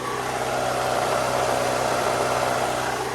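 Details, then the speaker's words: 1998 Toyota RAV4 5-speed manual, 2.0 L 127 hp, idling under the hood: gritty raspy mid-pitched grind over steady idle; grinding noise, the only issue found, source unidentified. "wow the only issue that i can find under the hood is that grinding noise"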